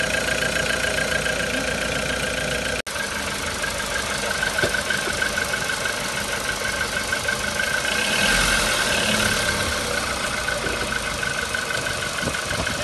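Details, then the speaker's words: 2014 VW Polo with the CFNA engine, fully warm at idle: dull, fairly quick, uneven knocking about three per second over the engine note; piston knock suspected, not confirmed. "и вы наверняка услышали что такое стучащий двигатель пола при этом машины и 14 года и были прогреты и их пробег не 77а 50 тысяч километров"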